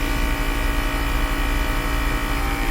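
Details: 2010 Mercedes-Benz GL450, after replacing the faulty air suspension valve body and compressor: steady, even low droning hum, no knocking or stalling, as the car rises. A bit loud but pumping fast and normal.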